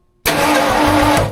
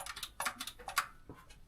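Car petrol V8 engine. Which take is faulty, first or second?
second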